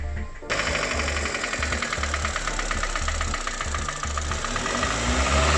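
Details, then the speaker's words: Ravon R2 / Chevrolet Spark M300 with B12D2 (LL0) engine, 112,000 km, 5W-20 oil: rapid hollow regular knock at idle, loudest around cylinder 4. Head removed; the piston rocks in every direction in a worn cylinder, confirming piston slap. "по стук в основном шел около 4 цилиндра прослушивался хорошо поршень болтается во всех плоскостях"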